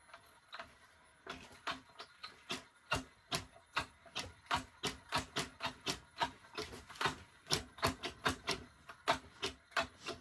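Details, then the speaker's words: Leaperkim Patton electric unicycle: sharp irregular knocks, roughly seventy a minute, as the wheel is rocked, with a click felt when pressed down; loose screws on the suspension clamp letting the suspension knock. "this coming with the problem of the uh knocking noise on the suspension so I believe that this is probably a loose nuts"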